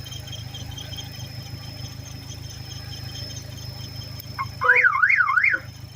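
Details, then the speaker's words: Abandoned, mouse-damaged Hemi Charger Daytona R/T jumped just enough to pop the trunk: about a second of fast rising-and-falling siren warble in three sweeps, squad-car-like, which the owner doubts is the factory setup. "what the hell what was that I should have heard all the noises it was making I've never sounded just like a like a squad car no way that's the factory setup"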